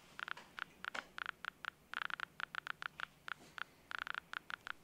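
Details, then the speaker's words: Graetz X50B survey meter with headphones, near a strong pitchblende sample around 100 microsievert: sharp, random clicks, roughly seven a second in uneven bursts over quiet hiss; Geiger counter clicking as it should. "so i will put my headphones up to this and you should hopefully be able to hear that clicking"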